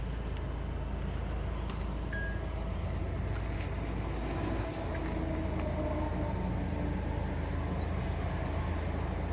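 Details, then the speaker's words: 2008 Acura TL 3.2 V6 idling after replacing ignition coils for random misfire codes P0300, P0302, P0303, P0305: steady even low hum with no misfires. "so looks like it's not misfiring anymore"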